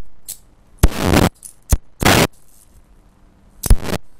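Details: IR2153D half-bridge flyback driver on 170 V DC drawing about 500 mA, under an amp, small flyback: crackling spark bursts under half to nearly a second with quiet gaps; normal high-voltage arcing, though this flyback may not like it.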